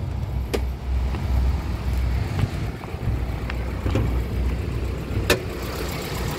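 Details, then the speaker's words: 1995 Toyota Starlet SEG 1.3 carbureted engine at idle: steady, quiet, smooth low idle with no misses or knocks, a few handling clicks; no oil burning or compression leak noted, engine sounds healthy. "Mesin suaranya juga masih kategori istimewa, masih halus. Ini nyala ya mesinnya ya. Suaranya enak banget."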